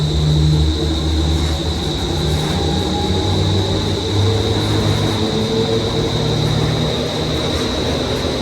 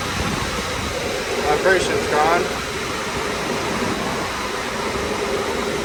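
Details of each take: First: Daikin commercial air handler serving an auditorium, blower motor already replaced, after first blower bearing replaced and belts reinstalled: loud steady low rumble over fan roar with heavy vibration remaining. Blower bearing rumble. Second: Daikin commercial air handler serving an auditorium, after replacing blower motor and driven-side bearings: steady, even airflow rush with smooth hum and no rhythmic thumping or wobble; normal blower operation, much quieter than before.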